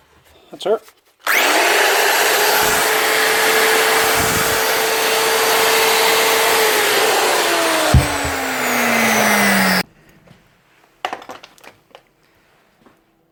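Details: Repaired grinder after a glue fix to hold a part tight: spins up to a steady high whine, runs evenly without rattle, winds down smoothly after switch-off; normal running.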